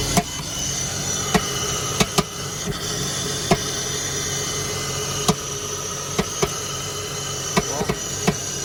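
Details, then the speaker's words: 2000 BMW 328Ci after replacing a ripped air hose (possible vacuum leak causing start-then-die): idle holds its rpm but uneven sharp clicks break through about every second; still a little rough. "Looks like it's running now. Holding its RPMs. Maybe a little rough."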